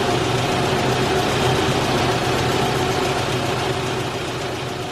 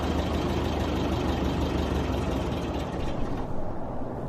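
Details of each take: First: 1989 Isuzu Trooper, high mileage, petrol, steady even idle with no surging or hunting after replacing the seized idle air control valve, which had stopped the engine idling when cold. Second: High-mileage 1989 Isuzu Trooper petrol engine, cold, idles roughly then sags and dies: a failing idle air control valve. PB Blaster soaking was tried first, then the valve was replaced.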